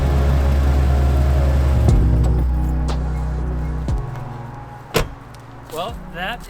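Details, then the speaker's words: 1998 first-gen Toyota Tacoma 4x4 idling after its shredded radiator fan was replaced with a new Aisin fan: steady, even idle, the vibration instantly gone, normal running. "all right moment of truth here let's go ahead and fire it up oh instantly instantly i can tell that the vibration is gone"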